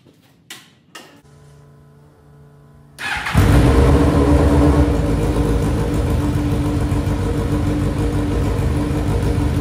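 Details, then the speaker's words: GSX-R 1000 engine in dirt track dwarf car after new spark plugs (old ones ran too rich) and cleaned injectors: clicks, then engine catches and runs steady, even, slightly raspy; normal running. "that's right now we got that's that clean Chris rail of a Gixxer engine you heard it that's the way it's supposed to sound"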